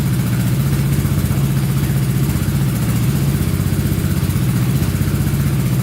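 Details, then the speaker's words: Honda Big Red ATC 200 (200cc) three-wheeler, barn find sat over 6 years, carburetor reinstalled; leak stopped, owner thinks needle wasn't seating while cold: steady, even putter, clean regular firing, no knocks or misses; normal idle and revving. "I'd say she runs pretty good. Carburetor stopped leaking. Must have just been cold and that needle probably wasn't seating correctly."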